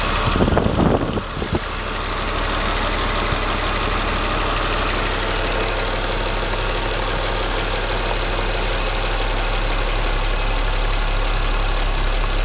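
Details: BMW M54 325 cold start: catches, then idles with an uneven, stumbling beat under a steady hum. Misfire logged in cylinders 3 and 5, sometimes 4, every morning. Crankcase valve, plugs, coils and fuel filter replaced, injectors cleaned. Ceases once warm past the blue zone. Cause unknown.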